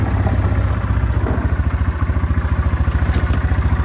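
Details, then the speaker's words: 2003 Yamaha Kodiak 400 4x4 ATV, 20 years old, after freeing a stuck engine and new carburetor: steady even low thumping idle, no misses or knocks, runs great and doesn't smoke. "But it runs great. This thing's freaking... I can't believe it doesn't smoke after having to free up the engine."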